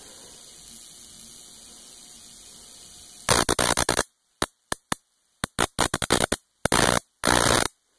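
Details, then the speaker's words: Homemade high-voltage jar capacitor discharged through a jumper cable; after a quiet hiss, sharp dry snapping cracks in quick irregular bursts, snappier than the smooth spark straight from the power supply. "now i'm sure you can hear the difference the other spark sounded sort of smooth this one sounds very snappy"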